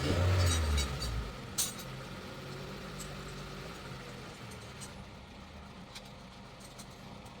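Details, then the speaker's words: 2006 Honda City that stalled at idle with AC on, after IAT sensor installed and check engine cleared: even settled idle with AC on, no hunting, dipping or stumbling; normal idle with AC on. "So yan mga sir, ito, naka good idle naman. Naka aircon na tayo."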